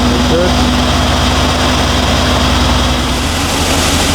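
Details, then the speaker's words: 2019 Mercedes GLC63 S Edition 1, M177 4.0L V8, 59,000 miles, after spark plug and injector replacement for misfires and fuel pressure code: smooth, even burble at steady idle, no skips or stumbles; fault counter clean, fixed. "Okay, I do have the engine idling, and this is the fault counter going, and everything looks good."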